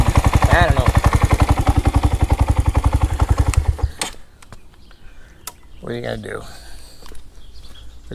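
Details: Grom single-cylinder motorcycle after a valve adjustment that found the valves fine: a steady, even knock about four times a second at idle, then it shuts off. Owner suspects a loose cam chain, camshaft or bottom-end bearing; cause unknown.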